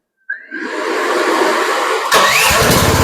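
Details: Chinese mini skid steer, key-started: starter whirr, then a fairly smooth, moderate-volume run with no loud rasp; normal running with a quiet exhaust.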